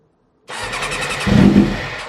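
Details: Suzuki RF600R after a spring service and fresh oil change, cold start on choke with fuel on: short crank catches briefly with a rough rising burst, then fades without settling into idle; hard starting.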